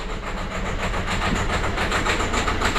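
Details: Citroën C4 Grand Picasso diesel, first start after 5 months, idle: uneven lumpy beat with rattly knock; rough idle, owner unsure whether injectors clicking or a con-rod knock, pressure regulator or sensor suspected.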